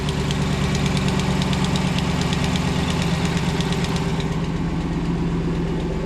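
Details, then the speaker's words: Dodge Ram 1500 single cab Hemi V8, daily driver, idling with fast uneven ticking over the rumble; exhaust manifold leak from a snapped rear manifold bolt, needs bolt extraction, new gaskets and manifold. "still got an exhaust leak I need to fix on this truck you can hear it"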